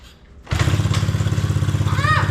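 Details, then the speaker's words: 70cc Coolster pit bike single-cylinder, restarted with flywheel cover off after chain-related case damage and sitting on its side: starts instantly into crisp, even putter with no rubbing or scraping; running healthy. "I think it honestly just not happy from sitting on its side for so long. Sounds like we got a little ripper again, boys."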